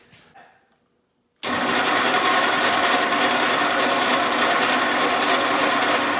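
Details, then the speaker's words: 1948 Willys Jeep CJ2A flathead inline six: fires abruptly into a busy, uneven, lumpy idle; vacuum leak because tape left on the carburetor base left a gap, plus an open vacuum line, though oil pressure shows. "So I'm shocked that this thing even idled at all, but you can see there's just a little tiny gap right there. I'm sure when it started pulling some vacuum, and then there's an open vacuum line that it had jus"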